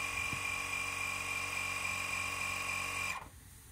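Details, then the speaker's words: Air Lift Wireless One onboard compressor on a Ram 1500 with Ultimate 5000 rear air bags, filling to 25 psi: steady high-pitched electric whir with even hum underneath, then clean cutoff; normal compressor operation. "okay so now you can hear the compressor kicked on kind of hard to see it down there but compressor did kick on so I'll let that cut off when it's at 25"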